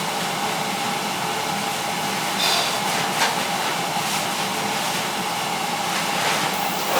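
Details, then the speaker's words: Old oil boiler after replacing a bad control: fan pre-purge rush, then a soft whoomp as the burner lights and holds an even roar; clean, healthy ignition. "there it goes hear it yeah so it was a bad control"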